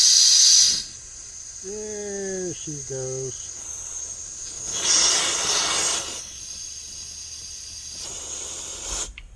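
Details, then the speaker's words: HVAC unit whose thermostat showed no display: a solidly clogged condensate drain line, cut and blown out with high-pressure gas turned down from over 200 psi; sharp bursts of hiss as the clog breaks free. "That broke it loose. Yes, sir. That broke it loose."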